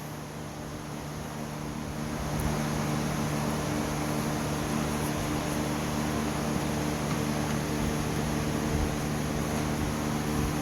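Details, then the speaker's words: 16 hp Craftsman lawn tractor, a dusty barn find, with 2-cycle gas poured straight in to test for spark: the small single-cylinder engine runs briefly and evenly, then dies. Spark is good; the carburetor is checked next. "I want to put a little bit of 2-cycle gas in it. See if we can get it to run and die. That'll tell us whether or not it's got fire."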